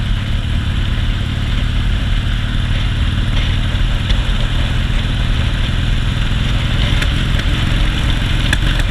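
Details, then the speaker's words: 2001 Harley-Davidson Softail, just bought, new spark plugs, fuel pump and tune-up; at a stoplight after freeway riding it idles very low, then misfires under any minimal load: low lumpy chuffing idle with stumbles. Cause unknown. "Alright, we got some misfiring going on. The heavy load, it starts misfiring."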